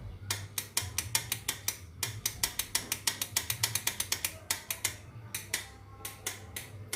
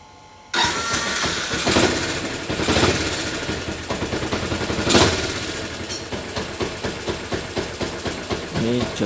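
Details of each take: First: Motorcycle electric starter with strong battery voltage: rapid sharp clicks, three to four a second, only the starter bendix clicking with no cranking; starter motor won't turn due to worn-out starter brushes, replaced. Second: Motorcycle electric starter after replacing worn starter motor carbon brushes (before, it only clicked without turning): starter engages cleanly, engine catches at once and settles into steady idle; starting system working normally.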